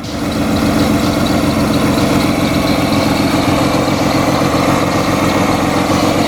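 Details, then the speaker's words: Supercharged BMW M50B20 T18 six-cylinder in a Toyota Corolla drift build with a bypass valve fitted; slightly lumpy, uneven idle, running on 5 cylinders because one coil pack was left unplugged. "Also, I just realized I had one of the coil packs unplugged when I started it then, so it was only running on 5 cylinders."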